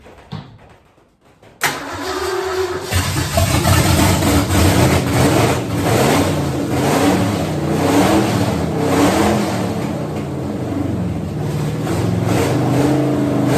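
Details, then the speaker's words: 1963 Ford F100 V8 with big cam and dual carburetors, first start, no mufflers fitted: quick crank, then loud, loping, rowdy idle running strong and even, about 60 psi oil pressure; normal lumpy cam idle, healthy motor. "uh motor's healthy sounds good uh actually sounds kind of Rowdy uh kind of expected that though honestly with the cam and all it's in it"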